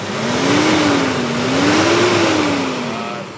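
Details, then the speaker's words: Mitsubishi Strada, about 2019, after replacing torn turbo hose that caused black smoke and a strong air leak: clean rev rising and falling smoothly, even tone, no hiss; boost system sealed and healthy. "start gas so nawala na yung singaw dito normal na normal na yan So kanina Napakalakas ng singaw"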